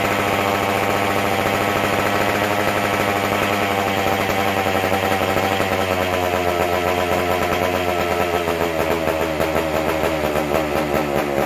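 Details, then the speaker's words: McCulloch Super Pro 125C chainsaw, first fire after cleaning, intake boot and new-old-stock muffler; non-adjustable carb, steady high buzzy idle that hunts slightly and won't settle, running starved. "Runs, but you can't adjust her, and it's acting like it ain't getting enough fuel, unfortunately."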